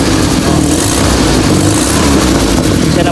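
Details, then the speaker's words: Toyota 5K engine, ported vacuum advance restored, timing set 10 degrees BTDC, carburetor tuned: loud, raspy exhaust note at steady idle with no knocking or ticking; noise is from the exhaust, not the engine, which is healthy. "Ayan siya. Yung ingay na kakaibang tunog sa tambutso na mga kapatid, hindi na sa makina."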